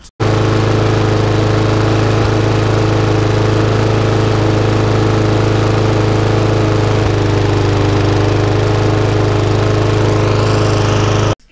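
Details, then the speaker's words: Lawn mower that ran very slowly and would not stop, after a full service and micro switch fix, revs tweaked, fresh fuel, running outside: steady, even hum holding constant revs, no hunting or surging; running properly. "Okay, so that little lawn mower is now up and running exactly how it should be."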